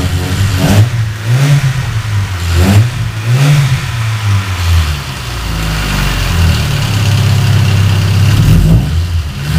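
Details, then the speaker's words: Petrol car running rough after shop head repair, now with new spark plug wires: engine revs up cleanly several times and settles to a steady, even idle, smoother with more power. "okay sound better yeah sounds like it has more power"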